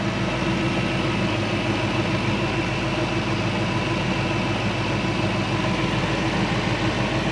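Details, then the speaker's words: Supercharged Toyota 1UZ V8 swapped into a Hilux ute, first runs, not up to temperature: steady even low idle with no misses, knocks or surging over seven seconds; runs smoothly. "lovely mate really nice she's a runner"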